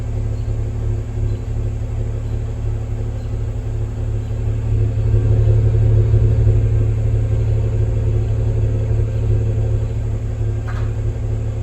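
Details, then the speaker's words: 2023 Range Rover inline-six, fully warmed up at idle: deep steady exhaust rumble with uneven pulsing about four beats a second, shaking the car; misfire suspected, not confirmed. "thing to this exhaust it sounds like there is a misfire"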